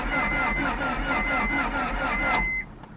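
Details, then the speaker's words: Honda Prelude, wrecked in front and never run in about two years of ownership, on a jump box; laboured slow cranking at a few beats a second, stops without firing; owner suspects starter if direct jump still slow. "i was thinking if we jumped the starter and it still turns over like super slow like it was then maybe the starter's bad"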